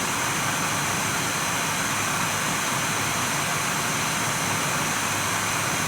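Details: Nvidia GTX 980 reference blower card in a Dell XPS 8700, fan forced to 100%, microphone held right at the card: loud steady airy rush, no rattles, ticks or grinding; normal fan noise at full speed.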